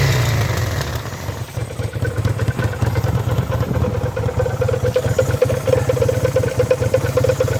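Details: Kawasaki VN800 V-twin chopper, in a build to fix a big engine knock (rotor removed), idles with a steady, even lope and no knocking or clatter; a healthy normal idle.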